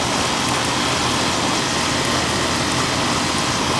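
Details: Old Amana R22 AC condenser, seasonal check on a warm day around 70–72°F: coil kept clean; constant fan rush and compressor hum with no knocking, rattling or squealing; running normally.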